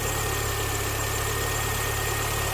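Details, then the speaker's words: 2005 Mini Cooper four-cylinder after replacing a bad fuel injector: smooth, even idle with a steady low hum and no stumble or miss, with all four cylinders firing. "The engine's running great now because it's hitting on all 4 cylinders."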